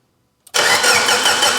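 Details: Abandoned Mitsubishi Evo 8 restoration, first start attempt with new ECU, 272 cams, exhaust fitted: even cranking that never fires despite 30 psi fuel pressure and no leaks; no spark.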